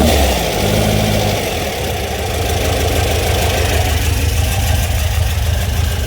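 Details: VW Beetle air-cooled engine, car rebuilt over about 1.5 years, roughly 200 miles since; idles really low once warm: blips up then settles into steady idle with slight lumpy cam rumble; running healthy.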